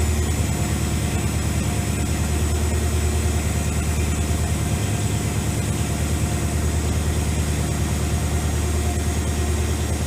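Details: AMC 401 V8 in Jeep YJ with headers, after heat soak fix and oil pan leak repair: deep even burble at steady idle, no ticks, knocks or misses; oil pressure 60, 14.4 volts charging, normal idle.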